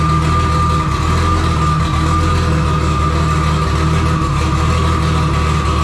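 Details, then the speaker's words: Engine's first start after the build, cranking into a loud, uneven, lumpy low rumble that never settles; rough running and flooding from a wrong ignition trigger setup. It ran fine on the crank sensor alone. "I had some issue with some trigger setup going wrong uh it was not running right I figured out that if I ran only on the crank sensor it worked fine"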